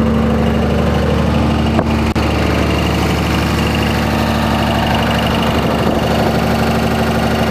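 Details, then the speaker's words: 2004.5 Ram 2500 Cummins diesel: uneven knock about three beats a second, heard in reverse when truck bounces after releasing brake, goes away at idle; source unknown. "Let off the brake, truck bounced back and forth, and you can hear it when it bounced, but you can't hear it at idle."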